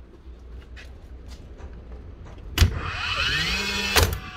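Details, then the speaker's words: Nailer after replacing one set of worn springs and cleaning the driver: faint clicks, then a sharp crack, a rising motor whir and a second firm crack; normal firing. "again that's hurt one set of Springs clean up the driver we bit that's all she needed"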